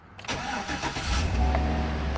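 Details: 2013 Chevy Avalanche no-start fixed by replacing blown 2 A DLIS fuse number 35: quick crank, engine catches cleanly and settles into a steady low idle; normal start.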